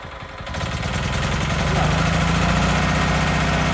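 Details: Small single-cylinder mini tiller engine after cleaning a clogged, dusty air cleaner that caused poor revving and lack of power: picks up and settles into a steady, even thump around four beats a second; runs clean and smooth.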